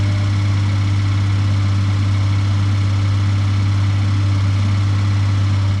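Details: 2018 Suzuki Every Wagon DA17W type 2, R06A engine, 55,000 km, oil changed every 3,000 km: loud, steady low drone at idle until shutdown; abnormal engine noise, source unclear.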